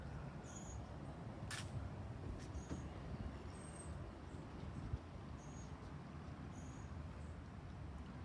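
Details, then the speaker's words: IndusCom ICIFSDI-110105 ceiling fan, rated around 105 W, spinning down: faint high chirps every two to three seconds over a low hum; the bearings squeak. "that squeaks, so let's do a spin down. It'll probably be really quick because of the bearings."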